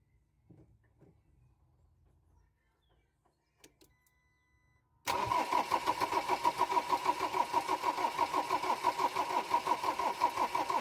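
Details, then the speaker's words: Ford Transit Mk7 diesel after glow plug replacement: steady starter cranking about three beats a second, never fires; camshaft sensor plug not pushed in far enough. "Right, as you can see, it doesn't want to fire, which the reason is the camshaft plug wasn't pushed in far enough, as you'll hear the click in a minute when I realise."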